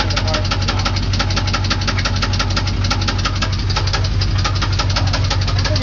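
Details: 350 TPI V8 idling with a loud, steady knock of roughly three sharp raps a second over its deep rumble, heard on one side of the engine; cause unknown.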